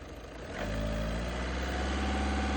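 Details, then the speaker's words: High-mileage VW/Skoda car, about 230,000 km, used-car check: revved to about 2000 rpm, the note climbs smoothly from idle to a steady higher speed with no knocks or rattles; rpm rise, sound and vibration judged excellent. "என்ஜினோட ஹைட்லிங் rர்pிmம் அந்த rice பண்ற RPM சூப்பர்பா இருக்கு."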